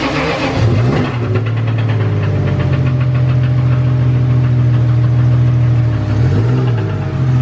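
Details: Toyota 1JZ engine catches after brief crank into rough low idle with quick light knocking, lack of compression audible; owners suspect rod knock, not confirmed.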